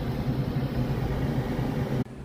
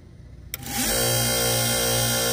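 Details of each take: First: Gas furnace with a newly replaced inducer motor assembly after the old one failed: steady low hum running smoothly without rattle or scraping, then cutting off. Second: like that and that's what it looks like and some make a lot more racket than what you just heard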